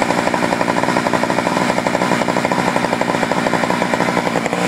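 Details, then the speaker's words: Poulan 4200 chainsaw on a cold start, reported by its owner as running a little lean, before adjusting the low-speed screw: fast, slightly ragged crackle with no settled low note, consistent with a lean mixture. "sent me this saw and he said it was running a little lean told me to play around with the the low Auto screw which is the botb screw"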